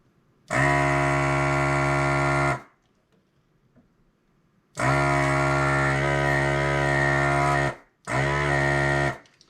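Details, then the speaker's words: Hakko FR-301 desoldering tool removing capacitors from an Xbox 360 Xenon motherboard, recorded on a GoPro: two-second bursts of steady buzzing pump hum, pitch shifting as the tip makes and breaks its seal; vacuum working normally. "But you can really hear that tip, that vacuum, as it makes and breaks the seal on that."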